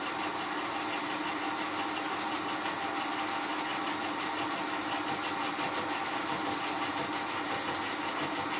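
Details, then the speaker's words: Two helical gears, one bronze and one steel, cut on Elliott 10M shaper, mounted in mill and brought closer together: steady gritty rasp with fine whir as spindle spacing gets too tight; gears grinding in mesh. "I'll bring the two gears closer and closer together until they start to grind then I'll back off until they run as quietly as they're going to"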